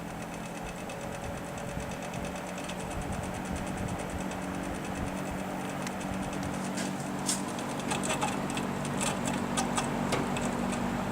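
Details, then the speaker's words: GE W 25 box fan after repair of worn single bearing that let rotor hit stator, oiled and reassembled, low speed: quiet steady motor hum, light even ticking, no frame vibration or rattle; runs smoothly. "no vibration coming in the frame now try medium that is way out"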